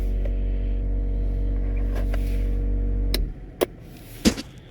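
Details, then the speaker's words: Electric differential cooler, newly installed and powered with the key on: the pump runs with a steady low hum, slightly louder on cold oil, then the fan starts; normal pump and fan operation. "Then you hear the pump. The oil is cold, so it's going to be a little noisier than normal, but not that much noisier. And then the fan."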